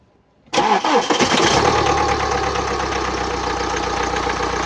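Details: 2009 BMW X1 xDrive, 2.0 L N47D20D diesel, 130 kW, 224,000 km: engine starts and settles to a busy idle with persistent whistling, rattly hiss over the clatter; turbocharger damage.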